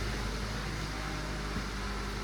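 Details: 2012 Honda Civic idling after a muffler adapter repair of the broken exhaust, which was loud before. Soft, steady low hum with no blatting or rasp from the tailpipe. The exhaust sounds sealed and normal again.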